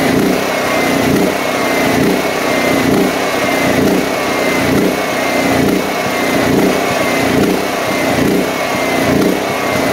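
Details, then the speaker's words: DuroMax XP13000EH generator on gasoline with the fuel valve shut off to run it dry for storage: the engine hunts up and down about once a second as the carburetor is starved of fuel, the same surging the faulty fuel selector switch caused. "but you could hear the revving up and down up and down up and down because the engine was being starved"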